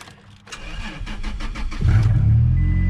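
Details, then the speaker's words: 2006 Toyota Tacoma X-Runner, V6, manual, about 129,000 miles, wrecked truck jump-started: starter cranks about four turns a second, engine catches and runs steady and even, loud as mufflers appear cut off; starts healthy. "look at that she runs attack there they also cut all the mufflers off it sounds like"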